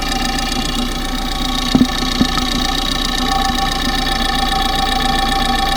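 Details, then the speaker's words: Engine at idle, pipe stethoscope on the fuel injectors, phone used as mic: fine, rapid, even ticking matching engine speed over a steady idle; ordinary injector clicking, nothing abnormal. "Now what we're going to do is listen to the injectors, because that's going to be quite sick."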